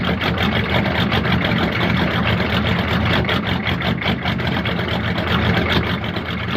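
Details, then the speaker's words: Diesel-swapped Monte Carlo, cold start in snow after sitting, no throttle, little glow plug heat: the cold diesel clatters at a lumpy, loping idle with uneven beats; it smooths out once the glow plugs warm up. "that [ __ ] sounds like she's got a 550 cam in her I love that"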